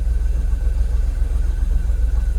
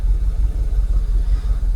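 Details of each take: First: Jaguar XKR (X100) after swapping Bank 1 aftermarket coil packs for genuine used Denso units, fuel system now in closed loop with no fault codes: smooth, even low rumble with no misses or hunting; normal idle. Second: Jaguar XKR (X100) V8 idles with a deep, lurching, uneven stumble; live OBDII shows a multiple-cylinder misfire code, the switch from closed to open loop, and restricted performance, after Bank 1 aftermarket coil packs were swapped for genuine used Denso units.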